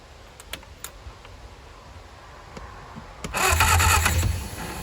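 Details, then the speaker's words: 1959 Reliant Regal Mk5/Mk6 three-wheeler, first start attempt after 20+ years unrun, two-stroke fuel dribbled in carb; quiet cranking then short ragged firing burst that dies; carburetor flooding from stuck float. "I think she might have just fired. I think she might have just spluttered. I think she's trying. Oh man, she's trying. She is firing. It's an unmistakable sound."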